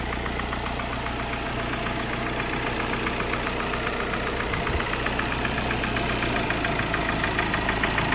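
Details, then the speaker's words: Mahindra Scorpio mHawk diesel idling: sharp regular tick-tick knocking about three per second; it stops when the EGR valve is bypassed or turbo actuator lowered; cylinder two diesel burning suspected, cause traced to the engine control module. "लेकिन अब engine में से cut cut cut cut sound आना चालू हो"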